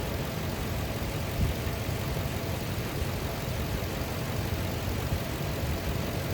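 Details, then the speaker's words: 2004 Lexus GX470 after replacing serpentine belt and weak tensioner that caused a high-pitch squeal: low, even idle rumble with no chirp or squeal; belt drive quiet and healthy. "No noise. Nice. It looks like it's running smooth."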